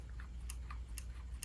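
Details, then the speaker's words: Valve Steam Deck, about two months old: right thumbstick gives faint sharp irregular clicks when rotated in one direction only, none the other way, present since new; cause unknown. "my the right stick makes a weird popping sound when I like go like this you guys hear that it's like a clicking sound and it's only in that direction if I spin it the other way no clicking sound if I go this way"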